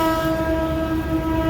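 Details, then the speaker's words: Exhaust fan belt-driven motor restarted after failed motor-starter contacts suspected of single-phasing and tripping; belt somewhat loose: steady, even hum with no knocking, rubbing or surging; current draw under the 3.4 A rating, running normally. "There we go. It's running."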